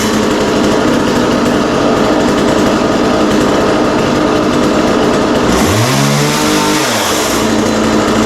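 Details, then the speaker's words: McCulloch Mac Cat 18 chainsaw after fuel and oil system repair, first start: steady high buzzing run with a clean rev up and back down; starts right up and sounds healthy. "Wow. Well, that sounds really good. That started right up and sounds really good."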